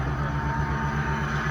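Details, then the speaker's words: 1996 Dodge Ram 1500 van after a new computer and fuel pump fixed no spark and no fuel, fuel primed three times before starting: smooth, even low thumping at steady idle, no misses or stumbles; normal idle. "I already primed it 3 times before I turned the key, so it started right up."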